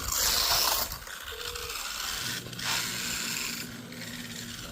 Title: Grinding sound, means only one thing new pinion gear 👍🏾